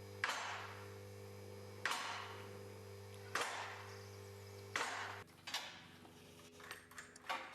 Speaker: as you can hear the locks are clicking into position as the lift raises the locks will drop into position you'll be able to hear them clicking in